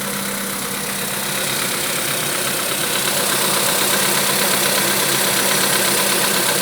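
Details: Engine knock on a VW Polo Sedan at idle, 1000 km after piston replacement; crisp, regular tapping about three per second over a bright hiss, cause not yet identified.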